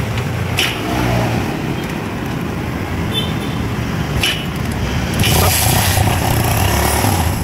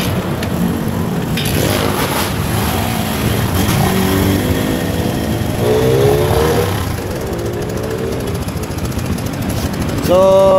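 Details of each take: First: Barako 175 single-cylinder motorcycle after timing chain tensioner reset, idling amid street and traffic noise: no clear chain clatter from the top end; earlier noise and stumbling gone, normal idle. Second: Barako 175 single-cylinder motorcycle, customer complains of noise, at idle: light uneven metallic rattle of about three to four taps a second with misfire-like stumbling over the idle; mechanic attributes it to the timing chain tensioner, to be reset.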